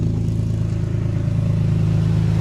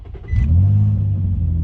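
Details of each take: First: 2005 Infiniti G35 restarted after tightening the serpentine belts: a steady low, even idle hum with no belt squeal or chirp, and the battery light is gone. Normal healthy idle after the repair. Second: 2005 Infiniti G35 with a snapped serpentine belt, after losing power steering and ABS while driving, with brake, battery, VDC and slip lights on: it cranks briefly and barely starts into a low, heavy idle with no belt chirp or accessory whine.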